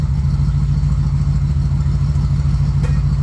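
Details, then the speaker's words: Bombardier snowmobile, carbureted engine just reassembled in the shop: low, even putter at a slow steady idle around 800–900 rpm, no knocks, misses, rattles or leaks; gauges working, normal idle. "How does the engine sound running? Good. Okay. It's runs at 800, 900. That's good."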